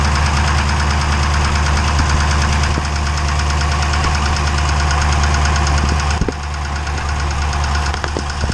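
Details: 392 engine at 1400 miles: heavy even knocking about four a second over a loud idle, clattering like a Cummins diesel; engine knock of unknown cause.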